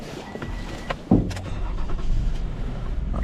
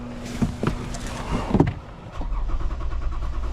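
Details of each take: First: 2015 Toyota Sienna that had been a crank no-start, restarted while being scoped: quiet, then sharp catch as engine fires and settles into steady, even low rumble; normal start and idle. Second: 2015 Toyota Sienna with a crank-no-start, engine speed signal present: after a few clunks the starter spins the engine in a steady low churn for several seconds without firing; it briefly started with sprayed fuel, so a fuel-delivery fault is suspected.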